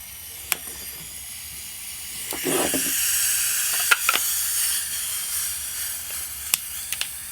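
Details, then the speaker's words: Gas air pistol used to shoot hard disks: steady high hiss swelling between clicks, gas appears to be leaking inside past the pistol's valve, so gas may have to go in at the end. "Okay, I seem to have a problem with my valve here. If you can hear it, it seems to be leaking inside."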